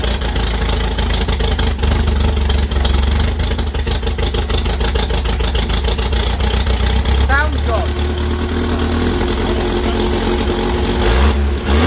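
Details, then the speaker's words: 1964 Bedford CA panel van, first run after about 10 years sitting, exhaust rotted away: steady even idle with loud raw exhaust bark, no misses or knocks; runs cleanly. "and uh she runs it runs yeah with an exhaust on it it would probably run very well indeed"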